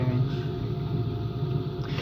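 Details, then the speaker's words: Washing machine running empty on rinse and spin: a steady low drone with a rough growl during spin. Owner suspects the motor bearings; the drum is not loose. "Only that the drum, the bearing is not that bad, so the drum is not loose or anything, but it just makes that growling noise."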